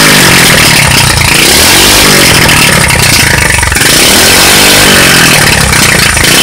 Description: My Uncle gave me a street legal go kart that had been sitting for 5 years I put a new carb on and temporarily hooked a push mower fuel tank up and it fired right up.